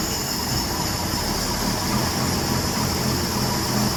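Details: 1966 Ford F100 with freshly swapped-in known-good 300 inline six (old engine had rod knock), first run after swap, coolant not yet added: even, steady idle hum, no knocks, misses or squeals; runs smoothly.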